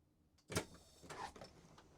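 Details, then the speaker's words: Van Hool T812 Alizee 2 bus pneumatic door, final test after rebuilding the Bosch 0 481 500 007 valve, closed by remote: sharp air release and door thump, then quiet with no hiss; the door previously hissed when open, now works without leaks. "I am pushing the button on the remote. It closes. The light goes off."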